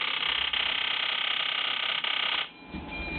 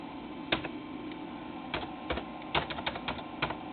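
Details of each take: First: Ford Powerstroke injectors driven by a modified IDM controller at 3900 rpm with 3.06 ms fuel command (500 µs divide): high buzzing injector chatter falters and cuts out. The roughly 250 µs pulse is too short for the injector to reach saturation, so it probably never opens. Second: Ford Powerstroke IDM (injector driver module) on a controller test bench, commanded at 3900 rpm: scattered clicks then a steady high even buzz of injectors firing; valid signal, driver working normally.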